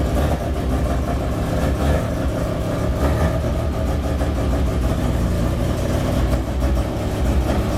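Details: Freshly built rotary Miata after first start: revs up cleanly and settles to an even idle, no misses, knocks or rattles; running good, under 150 degrees, about 78 psi oil pressure, good vacuum.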